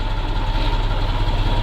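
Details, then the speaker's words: MAZ truck diesel after long storage, cold start in frost with starting fluid sprayed into intake; deep even rumble with steady beat, no knocking or misses, no visible oil leaks; normal idle. "Ожил наш зверюга шепчет. Главное глянуть, чтобы масло нигде не плыло. Вроде нормально."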